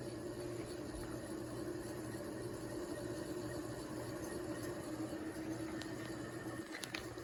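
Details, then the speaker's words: 36-inch industrial ceiling fan running on high, before its bearings were oiled. There is a steady hum with a rough, scraping rumble underneath, typical of dry bearings. "you can see the household version for comparison as you can hear the bearings need a little help"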